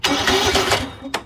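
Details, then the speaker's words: Murray 24-inch rear engine riding mower with 190cc Briggs and Stratton engine, dirty air cleaner: under a second of steady, even cranking, then stops without firing; cranks but won't start. "Customer says that it won't start. It seems to want to turn over fine."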